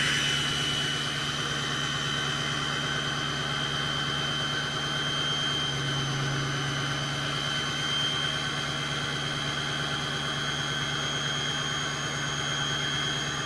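Smooth, even diesel high idle with a clear, steady high-pitched turbo whistle over it and no knocks; sounds healthy.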